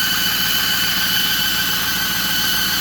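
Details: 2008 Ford F-350 Super Duty 6.4 diesel with twin high- and low-pressure turbos: a steady high-pitched squeal rides over the running noise without easing; the squeal seems to come from the turbo side, cause unconfirmed.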